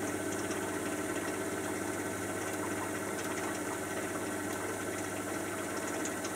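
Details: Miele Softtronic W487WPS 1800rpm washing machine, owned nearly 3 years, spinning: steady, even hum with faint whir and no thumps, knocks or banging; normal spin.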